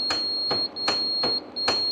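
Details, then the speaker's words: Land Rover Series 3 being restored and dash rewired: 12 volts injected into the starter solenoid feed wire gives sharp repeated clicks over a high beep, but the engine won't turn. They wonder if the starter motor is fitted the wrong way around. "that's the solenoid kicking in and out, but the engine's not turning, which is concerning."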